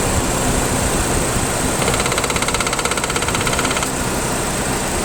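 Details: 2007–2012 Nissan Sentra 2.0L at idle, A/C on: quick metallic rattle from the AC compressor area for a few seconds, only with A/C engaged; owner suspects loose clutch, worn bearing or internal compressor damage, unconfirmed.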